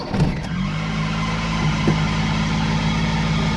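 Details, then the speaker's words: Old Suzuki Alto (奥拓) at engine start, before applying rubber belt lubricant: brief high belt chirp, then even low idle hum. Belt and pulleys already replaced with new parts; noise persists, owner attributes it to the car's age. Also chirps sometimes on throttle. "在启动那一刹的话，会有很明显的这个皮带声音。"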